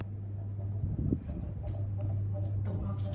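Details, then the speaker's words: Bali M52 ceiling fan on medium speed: a steady low electrical buzz holds one pitch under the fan's run, with a few small clicks. The owner says it buzzes a lot on medium: motor buzz. "that's high medium can't reach the on light chain yes it buzzes a lot on medium"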